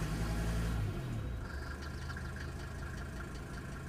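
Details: Mercedes OM602 diesel about 1,000 miles after an injector rebuild and balancing with Monark nozzles. It idles with a steady clatter and a faint light tick, possibly a lifter, unconfirmed.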